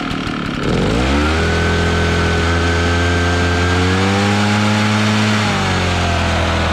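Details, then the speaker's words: Echo PB650 two-stroke backpack blower, barn find stored years, running on fresh gas: revs up smoothly to a strong, steady high pitch, holds evenly, then eases off; normal running under throttle. "so it's working pretty dang good"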